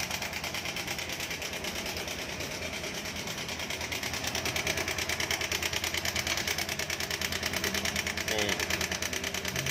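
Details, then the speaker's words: Honda Beat Street 2020 scooter, about six months old: fast, fairly even metallic rattle about three per second over a busy idle, coming from the left side; connecting rod checked fine, worn timing chain tensioner. "di sisi ini, di sebelah kiri. Itu ada di sisi kiri. Pada bagian penegang. Mari kita matikan sebelum rusak total."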